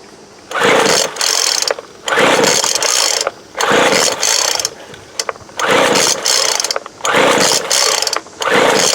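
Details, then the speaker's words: 2007 Sears Craftsman 25cc blower, thrift-store find, choke on then off: repeated pull-start cranking about every 1.5 s, turns over but never catches; owner suspects water in cylinder, plans to check plug and dry cylinder. "See what the plug looks like. Probably looks like water. Thinking I'm going to have to dry that cylinder out before we get anywhere."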